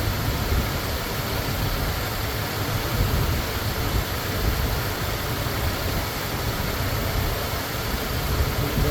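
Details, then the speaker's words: Ford Thunderbird Town Landau with a new fuel pump and rebuilt carburetor: low, steady idle with no misses or stumbles under background hiss; back to normal. "It's running exactly the same. Ah, there we go. Back to normal."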